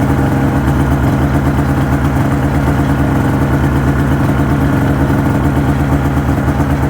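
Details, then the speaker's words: 2005 Ski-Doo MX-Z Renegade 600 H.O. SDI warming up after a cold start, with a new fuel pump, pressure regulator and strainer fixing hard starting: steady, even two-stroke idle with no stumbles or misses, waiting for it to idle down. "so curious to see how long here it takes for it idles down once it gets up into open loop"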